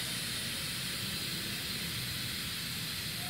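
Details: Multipro 2 HP electric air compressor not filling, motor stopped: steady even high hiss, air leaking out under the pressure switch, back from tank past the check valve; suspected dirt or worn rubber seal.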